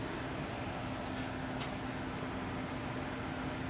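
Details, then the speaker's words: Replacement touch-screen induction cooktop in a box van heating a pot of water at the 450 setting. A quiet, steady low electrical hum sits under a soft fan rush, even throughout. Not painful like the high-pitched noise of the previous unit. Normal cooktop hum. "So, I do hear that like electricity sound, but it's not like hurting my ears."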